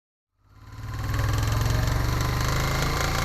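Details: Honda Africa Twin engine catching and settling into idle with a regular tapping knock, roughly four a second, riding on top of the exhaust beat; engine knocking.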